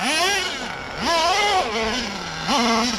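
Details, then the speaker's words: Redcat Earthquake 3.5 nitro RC truck on 30% nitro 10% oil fuel: high-pitched revs rise in bursts then sag, bogging under load especially engaging second gear; smoky so owner believes not lean, high-speed needle tuning didn't help; cause unknown. "it can't possibly be that because it's getting the higher rpms but it just box down so much"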